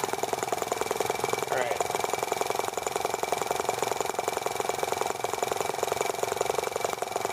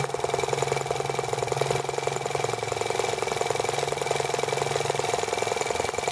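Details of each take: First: T26 model engine on a cold, wet day after unkinking a fuel line that touched the flywheel, plug arcing when humid: fast, even buzzing beat without stumbles; running cleanly, picking up fuel properly. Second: T26 model engine run slowly at idle: slow, uneven putting at about three to four beats a second with loose, irregular firing. The spark is arcing around the plug instead of firing cleanly.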